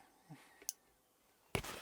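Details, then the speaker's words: Train Tech RL1 DCC-controlled relay unit for a garden railway: on a throw command a sharp relay click, then a second click; normal relay switching. "So I'll send a throw command, and you can hear that clicked and clicked again."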